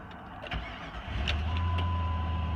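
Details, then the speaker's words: 2002 Jeep Grand Cherokee 4.7 H.O. V8, 183k miles, cold engine start: short crank, catches inside a second and settles into a steady, even low idle with no knocks or ticks; healthy cold start, airbag light stays on. "I just wanted to start it when it was cold so you could see that it'll come up fairly quickly"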